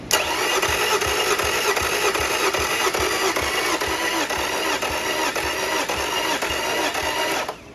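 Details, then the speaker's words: Yamaha 50HP (T50) outboard: the last cylinder's compression test cranks steadily at about 2.5 beats a second and reads low (others 170). Owner suspects a head gasket or stuck ring and may try ring-free treatment. "that's it hey gas hey gasket or you got stuck ring I mean yeah that's that's low compression but I'm thinking that's probably a head gasket huh"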